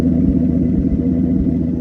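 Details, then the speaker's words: 2003 Ford Excursion with V10 Triton engine at idle: loud, lumpy rumble with irregular stumbles in the beat, misfiring really bad on one or more cylinders. "She's okay, but she's misfiring really bad. I don't know if you guys can hear that."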